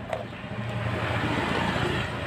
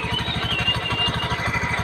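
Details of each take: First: Honda Beat FI scooter after CVT repair: engine starts into an even, steady, smooth idle with no rattle from the drive side; earlier harsh idle noise traced to worn clutch plate linings, now fixed. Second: Honda Beat FI scooter, rough/harsh noise at idle: rapid metallic clatter about fourteen hits a second over the idle from the CVT; a damaged bearing or plates hitting inside suspected.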